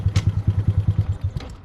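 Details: Freshly rebuilt 2025 Honda Grom on its first ride with the motor likely unstarted for some time and still to be broken in: even thumping about ten beats a second, steady with no clatter or misses. Normal, healthy idle.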